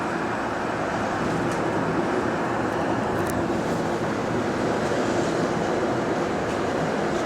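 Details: GAL EBD67 bus on route SL4 after its creaking suspension was repaired; steady engine and road drone in traffic with no creaks or groans; quiet, healthy suspension.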